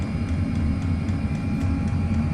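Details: Chinese diesel air heater burning kerosene, with 5 m copper exhaust pipe: steady low roar from the burner with a faint regular ticking from the fuel pump over it; burning evenly and running as it should.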